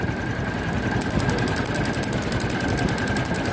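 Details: Motorcycle engine idling: rapid, even metallic ticking several per second over a steady idle; strange knock from the engine area, possibly a loose chassis bolt attached to the engine, engine taken apart three times without finding it.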